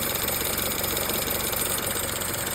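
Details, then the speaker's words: Chevrolet Cruze idling with a steady, fast, light metallic rattle and faint tinkle traced to a worn belt tensioner pulley. "Chevrolet Cruze 5.3 here with a little rattle and a little tingle. Take a look down here at the tensioner pulley."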